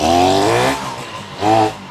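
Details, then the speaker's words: 1972 Yamaha LS2 100cc two-stroke twin, 784 miles, running with only the float bowls filled: engine surges, sags, picks up once more, then fades as it runs out of gas; fuel starvation. "I'm probably running out of gas. Sounds like it. Yep, definitely running out of gas."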